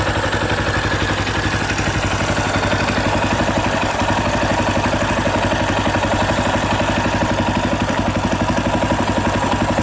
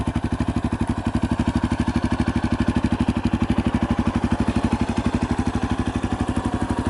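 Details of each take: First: 2018 Yamaha Tricker XG250 at idle: fast, even metallic clatter over the engine thump from a slack cam chain; loose cam chain tensioner, before tensioner adjustment. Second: 2018 Yamaha Tricker XG250 after cam chain tensioner adjustment: single-cylinder idle thumping evenly at about three beats a second, no ticking or rattle; healthy idle.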